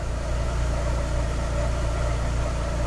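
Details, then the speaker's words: 2006 Chevy Aveo after plugs, wires, coil replaced, EGR cleaned and IAC valve cleaned/replaced for rough idle and P0300: low, even idle, steady RPM, no misfire or stumble; idle fixed. "PM's aren't jumping you can't hear it misfiring at all"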